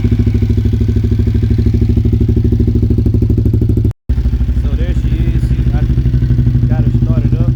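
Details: Motorcycle just after its first oil and fluid change since purchase: a steady, even single-beat idle at about three thumps a second with faint light tappet ticking from the top end; the tappets were louder before the change.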